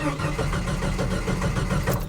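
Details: 1989 Jeep Wrangler, crank no-start after a fuel fill-up; aftermarket fuel pump not heard priming; diagnosis of the fuel delivery problem ultimately found a failed ECM. Steady even starter churning, never catching: crank no-start.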